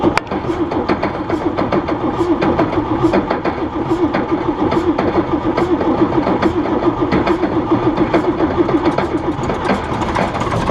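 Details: John Deere 6600 combine diesel idling, first start of the day: repeated light knock about once a second; idler pulley hitting the ground because the belt is stretched, new spring fitted, new belt ordered; stops when revved.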